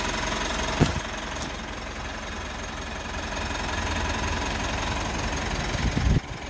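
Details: 3rd-gen Mitsubishi Montero/Pajero Sport diesel started after sitting in quarantine; battery reads 14.1, key fob battery low. Steady, even diesel clatter at idle with a couple of handling knocks, settling smooth: normal diesel idle.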